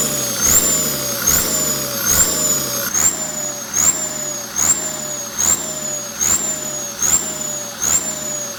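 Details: Komatsu tractor turbo, AR60 T04, run on a test before shipping: each throttle blip brings a clean whistle rising and falling with revs about once a second, the sound of a healthy, freely spinning turbo.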